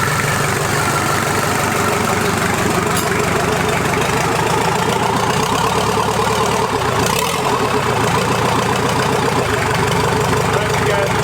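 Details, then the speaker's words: Toyota LandCruiser 40 series B diesel engine, first start after rebuild: steady, even diesel clatter at idle with regular firing beat, no stray knocks; normal idle. "juicy sounds good she sounds like a beauty yeah"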